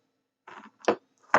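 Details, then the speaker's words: Electric fence energiser on the bench, powered from 12 V supply limited to 1 A: short sharp ticks evenly about twice a second, pulse circuit working; no LED lit, possible wiring problems. "okay there we go I hear ticking and do we have an LED we don't um but I do hear"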